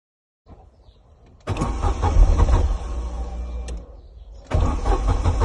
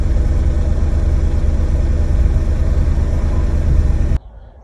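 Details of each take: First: Corsa B 1.0 16-valve gasoline car that started then died; engine cranks in two long bursts at steady rhythm but never catches, crank no start caused by faulty fuel pump relay, not the pump. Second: Corsa B with 1.0 16-valve gasoline engine, after a faulty fuel pump relay was found and replaced: a steady, even idle with a smooth low rumble and no stumble. Normal idle.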